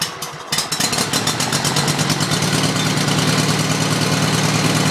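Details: Hard-starting mower catches after a pull and smokes, then runs with an uneven, lumpy beat about three per second that never settles; rough running.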